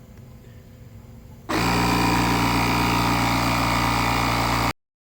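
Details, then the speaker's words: Buture Beta07 jump starter's air compressor, restarted after a thermal shutdown to inflate a 33-inch tire from about 34 to 40 psi: a steady motor drone with an even buzz, then a clean cutoff. Normal running. "We're going to start it up again, and we're going to let it go, and hopefully it'll finish the next 6 psi before it gets too hot again."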